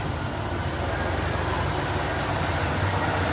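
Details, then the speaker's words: 1988 Ford F150 5.0L V8, previously slow to start with long cranks and rough running, now with the ECT sensor unplugged. Deep, even rumble with a steady beat and no stumbles. It idles smoothly, pointing to the ECT sensor as the cause. "Even sounds a lot smoother. So there you go, guys. Just that little sensor."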